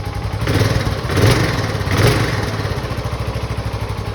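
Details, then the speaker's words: 2006 Suzuki Boulevard S40 single after an oil change, in neutral with a little choke, probably unstarted for a few months; a couple of blips, then a low, even single-cylinder idle, normal. "sounds good um i just didn't have the key fully clicked on so that's why i didn't start this thing probably hasn't been started in a few months now"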